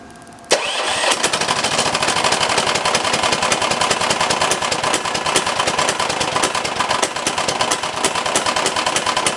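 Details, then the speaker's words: 389cc 13hp engine just installed in an off-road go-kart, first fire-up: fast, heavy, regular knock over the firing; owner suspects something wrong with the connecting rod. "So, spinning. Now when I go the other way, I think the rod broke off from the piston."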